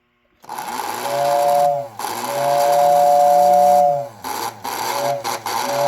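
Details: Lionel 671R radio-controlled locomotive tender from the 1946 Electronic set, being repaired; after power-on with lights flickering, a small electric motor hums with a steady whine rising and falling with speed, running smoothly; the locomotive moves on the button; normal running.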